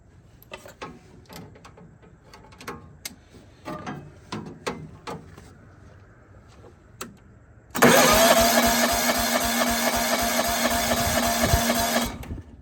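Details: Compression test cranking on a John Deere 165 Hydro with sporadic spark: the starter spins the engine about four times a second for four seconds, even and strong strokes; reads about 75–80, judged good given a compression release.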